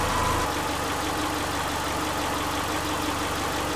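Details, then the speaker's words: Subaru Forester with its freshly reinstalled EJ25 at first fire-up, valves not adjusted. It is warming up, reading 114 then 120, with the thermostat not yet open and the alternator charging 14 V. Steady, even idle with a smooth low hum and no ticking or knocking over a hissy background: normal idle. "gonna scratch so far it's running pretty good it's working a little bit 114 I didn't adjust the valves or anything"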